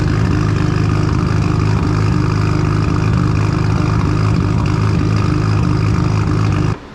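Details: Right-hand-drive Mk3 Toyota Supra, twin-turbo 1JZ, sat 2 years, burning oil with smoke, one turbo said to be bad: loud fast idle with uneven lumpy pulse before cutting off; rough running, cause under diagnosis.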